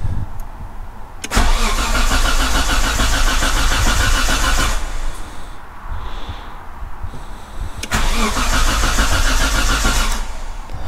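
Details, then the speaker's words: Nissan GTR after breakdown at race day with power loss: starter cranks steadily at about four beats a second but never catches; no oil pressure shown, owner suspects fuel pump. "not starting now I don't know whether I should be alarmed at all you not getting any oil pressure which is possibly a concern"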